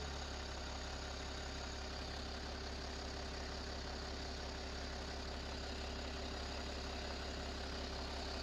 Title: BMW M57 525d 177HP Bad Timing Chain Rattle or ZF6HP Transmission Noise